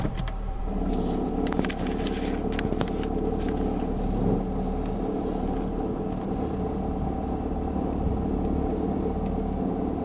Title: 2006 Honda Civic LX Rattling Sound Cold Start